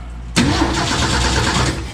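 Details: 1965 Ford F250 with 300 six-cylinder and 4-speed manual, parked about 17 years, cranking with the coil wire off the distributor to check spark: brisk, even starter churn with no firing; cranking sounds healthy.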